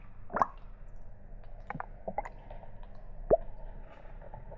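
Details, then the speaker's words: Kawasaki ZX-12R after coolant flush and refill, engine off: squeezing the coolant hoses gives irregular soft glugs and plops as trapped air bubbles out and the level drops; air in cooling system being bled before starting the engine to burp it. "It's making little bubble sounds. I'm just gonna like squeeze like this, look. And look, it's gone down some more, so. You can hear it. Glug, glug."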